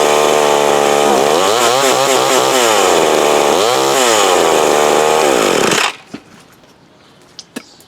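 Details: McCulloch Mac 120 chainsaw after carb adjustment screw tuning; small two-stroke revs cleanly up and down with steady firing, no stumbling or bogging, then shuts off; runs decently, may still need slight tweaking.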